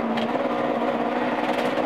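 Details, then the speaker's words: Rally car on a stage under load, 2011 Severn Valley Historic Rally: engine note stutters and breaks up unevenly instead of pulling clean; misfire from a recurring failing ignition coil problem. "You can clearly hear the car misfiring, and although it didn't put him out of the rally this time, it did slow him down on the stage."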